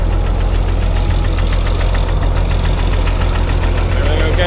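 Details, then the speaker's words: Diesel tractor with a suspected blown head gasket, started on ether, two and a half gallons of water in the radiator: heavy idle thumps with a slightly uneven beat; owner suspects lost compression on two cylinders, at least one in the middle, misfire. "the sound like it's a little missing a little bit like favor losing oppression on two of them I don't know at least one in the middle"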